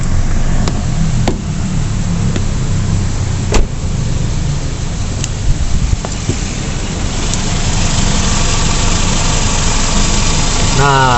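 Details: Toyota Vios/Limo with replacement Avanza AC magnetic clutch, AC switched on at idle, cabin cooling: steady even idle with compressor engaging and a few light clicks, no grinding or squeal; clutch and compressor healthy.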